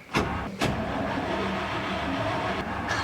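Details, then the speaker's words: 1964 International service truck on an old weak battery: sluggish, labored cranking with uneven starter drag and no catch, before a jump pack was added. "well we got it turnning over which is really half the battle and I'm going to throw this jump pack on it cuz it seemed a little weak like I said this battery has seen better days"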